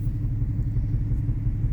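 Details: Nissan 350Z with check engine light and heavy exhaust smoke, cylinder 4 misfire code: low lumpy idle with uneven exhaust pulse as one cylinder drops out; coil first suspected, misfire traced to a fouled spark plug.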